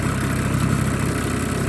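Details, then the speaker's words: Small live-steam engine (Wilesco D6 or Mamod Minor) with lit burner as steam builds: soft steady low chuffing with even rhythm, no knocks or hiss surges; normal running. "You can hear there's something going on in there. Soon the steam will build up."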